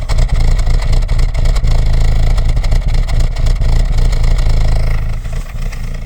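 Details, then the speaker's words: Cold 2.0 ALT Audi A4 B6 at idle, below 50°C: loud, rapid, heavy slapping clatter of about four knocks a second, running like a diesel. Owner suspects the camshaft phaser. Chain and tensioner already replaced; cause unclear. "И он так, получается, дизелит. Как дизель работает. Вот сейчас я вот... Как будто чем-то захлепывается."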